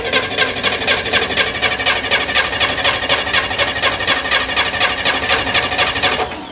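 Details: Corvair Spyder with an electric fuel pump, cold, on a rainy day: the starter churns at an even four beats a second with no firing. Cranks but won't start cold; fuel delivery is being checked.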